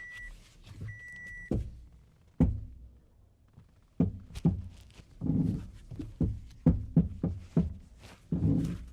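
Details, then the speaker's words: 2007 Toyota Corolla lifted, front wheel worked by hand, with side-to-side play and none top to bottom: irregular heavy clunks and knocks in bursts point to a loose front-end joint; the cause is suspected, not confirmed, and clunking dated from purchase. "It most certainly does make noise, and it's very loud."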